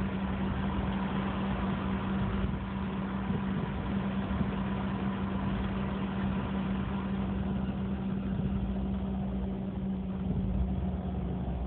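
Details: BMW E46 rough idle that the owner links to a DSC problem: steady idle with a low, uneven shake underneath and a faint flutter in the exhaust note; cause not yet confirmed.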